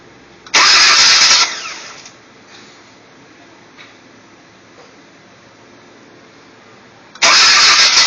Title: elantra hard start problem